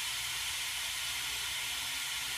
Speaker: i let it run for a couple seconds then i open up the other side and you'll hear the hissing gets louder because more water flowing through there